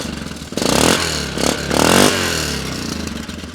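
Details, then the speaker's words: 2006 Yamaha Grizzly 660 ATV with about 3,500 miles that smokes heavily yet starts easily, revved in surges with a loose metallic clatter. A CV axle has popped out of place, hopefully just a bad clip or the CV shaft, not the differential. "So I can't drive this around too much because we do have a CV axle that has popped out of place here. So I don't know what's going on in there. Hopefully it's just the CV shaft, maybe a bad clip or something."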